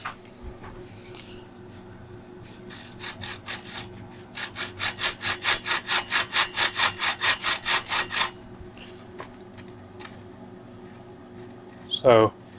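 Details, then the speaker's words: Road bike bearing being adjusted, deliberately set slightly overtight before fitting the lock ring, hand-turned: rhythmic dry rasping with a couple of chunky spots; rough bearing suspected from overtight preload. "I can hear the bearing just a little bit, but there's a couple of chunky spots."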